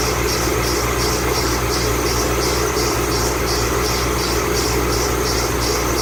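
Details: 2008 Ford Mustang Bullitt, 8-rib serpentine belt squealing at cold idle the morning after sitting overnight in the garage, under 30 miles driven: high chirping squeal pulsing about twice a second, belt slipping on pulleys.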